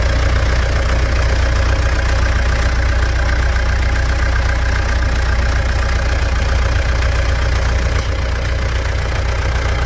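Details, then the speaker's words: Pajero Dakar 3.2 diesel after valve adjustment and a new timing chain tensor, warm: steady, even idle with a light regular clatter and no chain rattle or irregular knocks; engine judged in excellent running condition after the repair. "após a regulagem de válvulas e o tensor da corrente novo o motor tá numa MZ de funcionamento vai lá e vou resumir com duas palavras para béns"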